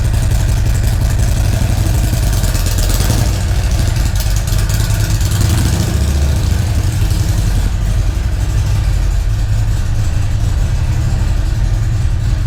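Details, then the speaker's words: 2017 Harley-Davidson Ultra Classic Milwaukee-Eight 107, first start after fitting a Feuling 465 cam, Rinehart dual header exhaust and upgraded 2020 oil pump: deep, loping V-twin idle. Steady and even with no ticks, knocks or rattles; healthy. "all right awesome everything sounds good with it you know popped right off no funny noise is there anything that's way it should sound"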